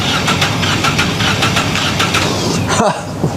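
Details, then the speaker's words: Engine cranked on the starter with throttle slightly open: uneven, limping cranking beat with one stroke lighter and quicker each cycle, unlike an even four-cylinder beat; low compression on one cylinder. "A little bit different, isn't it? Okay? You can definitely tell that has got a problem. It's down on one cylinder on compression."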